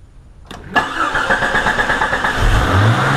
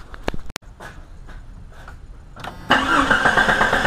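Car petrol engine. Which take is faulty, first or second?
first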